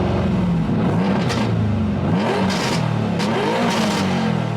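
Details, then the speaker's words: Nissan V35 sedan, 6MT V6, with a custom mid-mount turbo manifold whose left-side runner is much longer than the right. Quick rev blips with a harsh, metallic, irregular rasp likened to an E46. Raspy note from the unequal-length turbo manifold. "it makes because the runner on the left side is so much longer than the one on the right side makes a little bit of an irregular sound so yeah it kind of sounds like a E46 a little bit"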